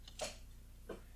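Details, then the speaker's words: Main ignition relay on a 1975 Jaguar XJ-S, long-sitting project car with fuel pump disconnected: ignition turned to on, one sharp click and a softer one under a second later as the relay pulls in normally, voltmeter rises. "okay main relay for the ignition clicked the volt meter went up and yeah everything else stay the same nothing really is going on there"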